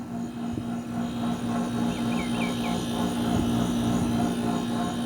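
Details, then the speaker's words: Mini-split air conditioner compressor after replacing the 35 µF 440 V capacitor: a steady, even hum with no clicking or struggling, running normally, and the refrigerant lines turn cold and sweat; before the repair the unit blew only room-temperature air. "Más o menos ese es el sonido que debe de tener. Y lo que es la tubería empieza a sudar y a quedar helada."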